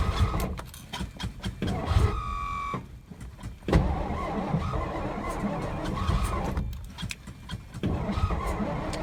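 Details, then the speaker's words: 1963 Studebaker Lark sat since 2010, weak battery: starter churns in long irregular bursts with brief near-catches but never runs; cranks, no start; owner later realized the tank was on E and adding gas got it running. "Added gas to her. You can see in the gauge she's not on E anymore. I just realized that's the whole reason why she wouldn't run."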